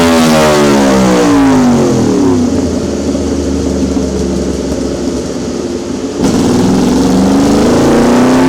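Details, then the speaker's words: 2026 Yamaha R1 on a dyno during baseline pulls before a quick ECU tune; the revs sweep and the bike stumbles, lagging briefly before picking up, perhaps around 10,000 rpm; hesitation under load, cause unconfirmed. "Did you see it stumble? It was like. You hear it. It almost like it lagged and then it started picking up."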